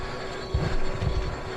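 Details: Furnace on no-heat call: steady motor hum with rough heavy rumbling surges like a diesel; draft inducer motor failing, something inside it, replaced.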